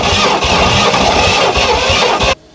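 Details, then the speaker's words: 1968 Oldsmobile Toronado 455 big block that sat about 44½ years in a barn, cranked after adding fresh gas: steady fast cranking for over two seconds that never catches; no start. "she's thinking about it she's thinking about it"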